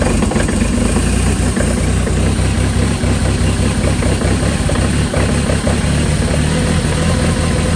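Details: Kubota L2502 diesel tractor cold-started at -17°C (1°F) after glow-plug heating, with the throttle at full. It settles into a steady, even low diesel rumble with no knocks or stumbles, a normal idle after a cold start.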